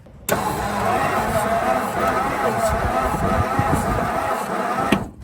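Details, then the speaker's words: Ford Country Squire wagon, 390 big block, about 70K miles, first start attempt: starter drags the engine over slowly and laboriously for about five seconds without firing; carburetor and spark not yet checked. "look down here watch it's cranking slow but it's cranking"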